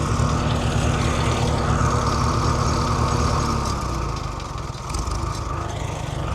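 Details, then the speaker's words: Farmall H row-crop tractor: rough, lumpy idle with uneven beat and skipping low thump, a dead cylinder; owner suspects a bad plug, plugs to be pulled. "Sounds like she's developed a bit of a mess. We'll have to drop the plugs out of her. Probably won't be happening this episode, but yeah, she's definitely got a dead plug. I've never heard her run like that before."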